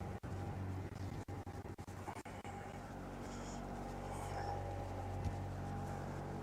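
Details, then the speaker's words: Diesel, unrun for a while, in forward gear at 1500 rpm, oil pressure just over 50, water temperature coming up, alternator charging: after some handling noise, a steady deep drone with no knock or miss. Normal running at 1500 rpm. "The oil pressure is up to a little bit over 50. I'm running at 1500 RPM, and the water temperature is coming up."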